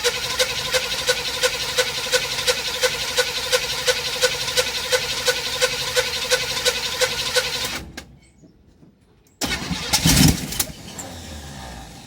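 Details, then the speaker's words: 1958 Chevrolet Biscayne V8, before carburetor rebuild, fed from a jerry can, using a lot of fuel: regular but uneven thump, about three a second, before cutting out; rough idle, owner suspects running on four cylinders. "so it's not very good on gas right now which is probably has to do with it trying to move on four cylinders"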